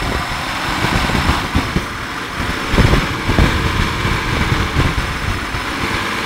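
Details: 1994 Isuzu Trooper at idle; rough idle with uneven, stumbling pulses and occasional missed beats in the low exhaust note, a misfire.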